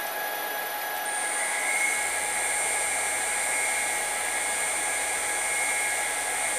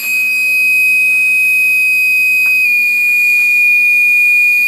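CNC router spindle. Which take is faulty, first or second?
second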